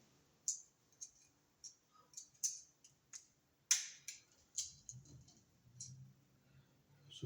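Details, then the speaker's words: Wall light switch about 10 years old, judged broken: sharp, crisp snaps every half second to a second, harsher than a new switch; to be replaced with a quiet switch. "now this switch is broken see it doesn't sound right here the here this extra little click"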